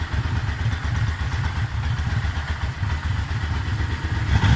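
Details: Yamaha Vmax warm idle after oil reached temperature: irregular low thumping and clatter over the firing beat, louder on one side; knock appears when warm, owner suspected oil pressure, source unclear, possibly clutch side.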